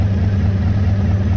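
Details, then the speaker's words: 1985 Honda VF1000R motorcycle, restored, fired up after sitting three or four years; after carb clean and balancing with an airflow gauge, idle set slightly high: steady, even idle, revs out and returns to idle cleanly; idle issue fixed. "so it's revving out nicely and it's returning to idle nicely so yeah I'm happy with that that's addressed the uh the idle issue"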